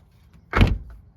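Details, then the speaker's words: Infiniti G37 after the battery went dead and was fully disconnected and replaced: a short whir from the window motor as the door opens, with the glass dropping a little lower each time. The power windows have lost their calibration. "It even opens even more every time. A little bit more. Ready? Yep. Every time I open it, it drops a little bit lower."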